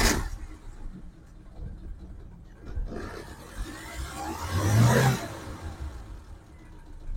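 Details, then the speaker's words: 2006 Suzuki Carry 1.0 pickup, dry engine, no smoke, black oil not mixed with coolant: starts, idles and revs cleanly with no metallic knock; engine normal, maybe slight tappet clatter needing valve adjustment. "tinggi ini sebenarnya mesinnya normal tidak ada kendala kemudian suara dari metal juga aman tidak ada yang jelas ini mungkin sedikit perlu styap"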